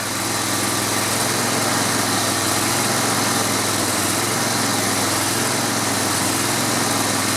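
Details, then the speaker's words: Grasshopper zero-turn mower, 16 hp Vanguard V-twin, after cleaning the carburetor and gas tank: steady, even beat at a constant fast idle with no misses, running smoothly; fogging oil in the cylinders is burning off. "Boy, that's a smooth running engine."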